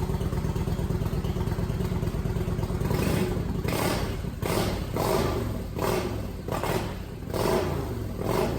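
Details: Kawasaki VN900 Vulcan bobber build, first start after refitting tank and fuel pump and fixing the fuel feed: V-twin catches and settles into a loping idle with a few throttle blips, no knocking or clatter; normal idle.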